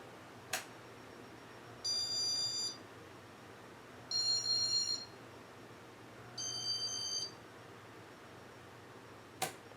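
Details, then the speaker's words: Casablanca Four Seasons ceiling fan, serial ES08720: three short beeps, motor barely hums and blades vibrate but won't run; Intelli-touch board suspected; control beeps but fan motor will not run, cause suspected, not confirmed. "and the thing is like I can feel a vibration in the blades and I can just barely hear the motor making a little bit of noise like it sounds like it wants to run it it just won't push the fan button turns off"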